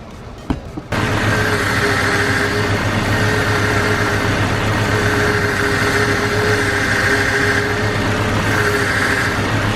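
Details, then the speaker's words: Jeep Cherokee XJ with a steady high power steering whine at idle, even with slight steering input. The pump was installed a month earlier; no leak, low fluid or air was found, so the pump is being replaced. "so this is what I'm talking about I put it one month ago but apparently is not working fine and it's making a lot of noise"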